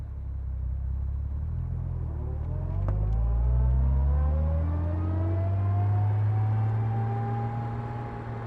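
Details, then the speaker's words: 1964 Jaguar E-Type Series 1 roadster, 3.8L inline-six, 4-speed Moss gearbox, driving in first gear: a steady straight-cut gear whine rises with road speed under the engine drone. Normal whine of the unsynchronized first gear. "And first gear is not synchronized and it whines quite a bit. It's a beautiful thing."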